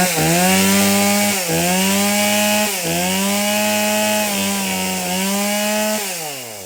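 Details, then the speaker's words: Stihl MS170 chainsaw brought in as a no-start, about 13 months old and barely used, run on its old fuel: crisp two-stroke revving cleanly in repeated blips and holding a steady high pitch; it starts, runs and oils normally. "well that ms170 starts and runs and oils I just don't think he's used it at all since he bought it"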